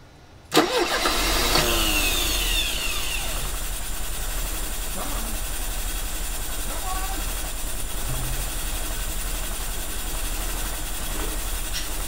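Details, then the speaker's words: 1985 Mercedes 190E with KE-Jetronic injection, fuel system rebuilt and fuel pressure about 70–72 psi, starting after months of trying: it cranks and catches, then settles into an uneven, lumpy idle that never smooths out, running poorly while the air flow disk is adjusted. "he's running he is running that counts a little bit right all right she is kind of alive kind of"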